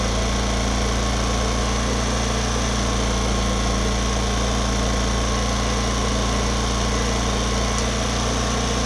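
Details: Homelite HG600 generator with small Yamaha single-cylinder engine, after fuel pump clean and new gasket set, restarted: settles into a steady, even idle with no misses, knocks or hunting; normal idle.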